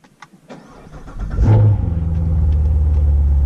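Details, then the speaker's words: Cold start of a Corvette after its transmission fix: brief starter crank, then the V8 catches with a rev flare and settles into a steady, even idle; it sounds real good, a normal healthy cold start. "Ooh, that sounds real good. That sounds nice."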